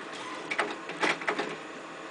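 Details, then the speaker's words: Compumotor CT series stepper drive on a 500 mA supply with the jumper at the first position: busy whirring buzz with louder stepping pulses; the motor can't be stopped by hand and is still cold, running normally. "I can stop it I I I give it my work I cannot stop it I mean this is amazing this is a great"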